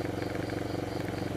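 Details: 2014 Honda Beat FI scooter, hard to start, kick-started because the starter is broken: after resetting via scanner, smooth, even idle pulse with steady rhythm and no knocks or misses; idling cleanly.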